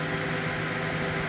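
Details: Gigabyte G1 R9 390 graphics card with replacement 87mm 4-pin PLA09215B12H fan: steady airy whoosh with a constant hum and no speed change, running louder and higher-pitched than the original but still working.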